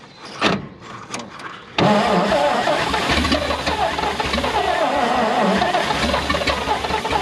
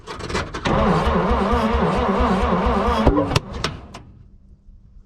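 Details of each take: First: 1951 Dodge B-series five-window truck, first start attempt after long storage, gas poured in, odometer 45,418 (likely 45,000 miles): after hesitant cranks it catches and runs; revived engine running. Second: 1951 Dodge B-series truck right after an adjustment: lumpy running, then a loud bang with a fireball from the exhaust and the engine dies; a backfire from ignition timing off.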